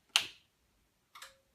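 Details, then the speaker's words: PowerMac G5 dual 1.8 GHz switched on via power strip: two sharp clicks about a second apart, second trailing a faint tone; relays in the power supply and network switch pulling in normally at power-up. "you can hear the relays trip in the power supply and the ex in the uh in the uh G5 and our network switch is Ry"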